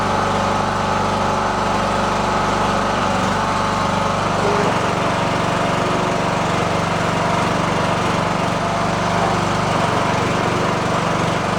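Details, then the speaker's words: Riding lawn tractor said to shut off with a backfire after about 15 minutes at temperature, now run past 15 minutes warm without that happening. It gives a constant, steady small-engine drone at one speed with no surging, misses or knocks. It runs healthy. "so he said it would run for about 15 minutes get to a certain temperature and shut off and with a backfire uh I have not had that happen it's been past 15 minutes"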